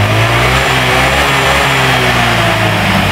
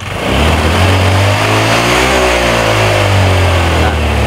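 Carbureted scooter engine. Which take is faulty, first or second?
second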